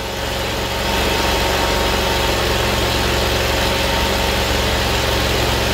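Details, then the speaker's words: Kohler CV730 twin on Great Dane zero-turn that cuts off, hose slid off, brake cleaner sprayed in intake: settles to steady slightly uneven idle and keeps running; confirms fuel starvation, carb or line/pump/tank yet to check. "What's that tell us? We know it's a fuel problem. Now that we know for a fact it is a fuel problem, let's see if this carburetor or if it is before the carburetor, meaning a fuel line, fuel pump or something in the tank or or something like that."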